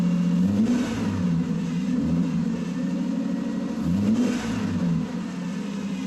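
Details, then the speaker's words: Mercedes petrol engine first running on its own fuel after 13 years sitting, belt removed: fast, uneven tickover surging and settling every few seconds; idle high after first start. "This car is running on its own fuel. Unbelievable. I mean, it's idling high, but like what do you expect?"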